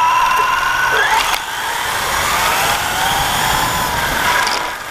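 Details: Axial Yeti RC truck after front left tire hit a tree: high squeal and whine rising and falling with wheel speed over motor hum; owner suspects a squeaky bearing or something bent rubbing, though it still runs fine.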